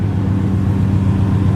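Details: 88-95 Chevy Silverado/GMC Sierra 5.0/5.7 V8 at idle after a new belt and tensioner: steady, even low rumble with no squeak, chirp or rattle; the earlier belt squeak and rattle are gone.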